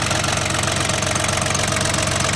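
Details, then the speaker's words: Yanmar FX18D mini tractor diesel, Japanese auction import, 956 hours, viewed at the engine: steady, even idle with regular clatter and no misses, knocks or odd noises. Normal diesel idle. "это видно и слышно по состоянию работе двигателя работает ровно без каких-либо лишних звуков"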